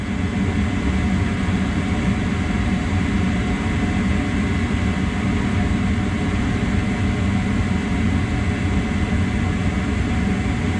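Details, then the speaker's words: Amana 80 SV Air Command furnace after cleaning a bug-fouled, stuck vent motor and the flame sensor: the igniter glows, the burners light all the way across, and a steady burner roar with a low hum follows, no rattles. Normal operation, with the blower due next. "burner's light went all the way across flame sensor sensitive it should stay going and then the timer the circuit board's got a timer and the blower should start here shortly"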